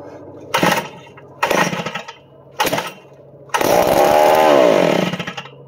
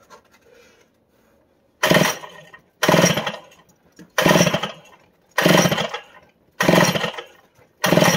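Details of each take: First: Roughly 60-year-old new-old-stock Power Bee 82002 high-speed kart engine on a fresh fuel fill; three sharp bursts of firing, then it catches and revs up and down for a second or so; a healthy start. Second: About 60-year-old, never-fired Power Bee 82002 high-speed cart engine: six quick pull-start rasps, roughly one a second, and it never catches, though it is getting fuel. Cause not confirmed; a grounding-wire mistake was found later. No-start on pull-start.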